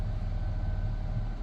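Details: 2007 Nissan Versa after fuel pump and pressure regulator replacement for hesitant cold starts: quiet, steady low idle hum with no pump whine, running normally. Normal idle.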